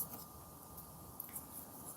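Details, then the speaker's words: Motor from an Arrma Big Rock V3 RC truck, unpowered and turned by hand, gives a quiet, gritty crunching: worn motor bearings dying. "is that crunchy? Horrible. You can hear that, just motor bearings dying."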